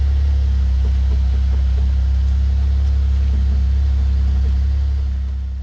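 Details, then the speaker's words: 2008 Saab 9-3 TurboX, first cold start after new strut and spring: steady low engine drone at idle with a faint uneven hum underneath, pointing to a worn bearing; new bearing ordered. "this very moment is when I ordered a new bearing for the mouth"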